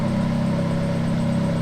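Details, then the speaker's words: Ferrari F430 being converted to manual, also hard to get into gear: with clutch released in any gear a steady mid-pitched drone over low engine hum, speed dependent, absent in neutral; transmission noise, throwout bearing doubted, source unknown. "ass sound that's speed dependent you have it in gear and have it up what does it do is that the transmission itself"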